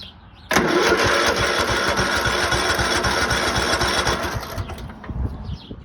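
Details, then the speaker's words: Craftsman lawn tractor, 15.5 OHV single-cylinder, sat 3–4 years, battery charged and fresh gasoline added, choke at the top: sluggish, slow cranking, then it catches and runs rough; owner says it needs a new battery. "still cranks a little bit slow I'm sure it needs a battery but uh I don't this set for several years three or four I'm told"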